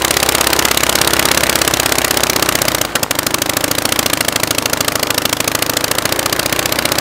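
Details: Praga B2 aero engine, last ran 1939, rebuilt and run on a Vauxhall test rig with homemade propeller: sharp firing pulses about three a second, slow and uneven after a dip, as idle mixture is adjusted, running slower and vibrating more.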